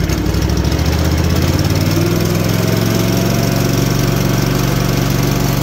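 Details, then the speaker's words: Cub Cadet bagger mower with rebuilt engine, raised throttle, tachometer reading about 1170: steady even engine drone, smooth beat, no knocks or misses; normal running. "Give her some throttle. I got this cheap little tachometer. You think it's accurate? What's it saying? 1170? Just crank it up a little."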